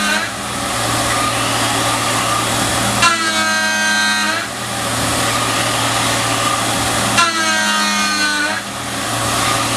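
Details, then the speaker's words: Tormach 770M+ CNC mill, shell mill on 1/2-inch TTS arbor, heavy face cut at 200 inches per minute: loud steady cutting roar with spindle tone sagging in two passes about every four seconds; spindle loading up. "Alright, that sounded pretty good, but you could hear the spindle loading up a little bit."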